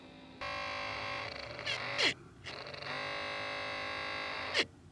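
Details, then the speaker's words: 1987 Porsche 911 Carrera Cabriolet: hidden Bosch fan behind the dashboard, drawing cabin air over the interior temperature sensor, runs whenever the ignition is on; harsh steady buzzing whine stops when the impeller is held. Nearly 40 years old, dirty, motor rattling. Worn fan motor bearing buzz. "We need to find a way to get this motor out and maintain it, because you can hear it sounds real sick right now."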